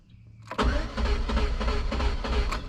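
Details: Sunfire 2.2 non-Ecotec after a new crank sensor, still no start, scan tool shows no cam sensor reading: starter spins quickly and evenly, no firing; cause found to be a broken timing chain.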